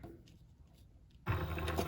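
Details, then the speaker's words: Sailrite Leatherwork sewing machine, newly acquired, sewing vinyl near last stitch: after a quiet pause a crisp click as hook releases thread, then even running; normal hook release click. "What what we're gonna do is we're gonna come up, we're gonna hear the click."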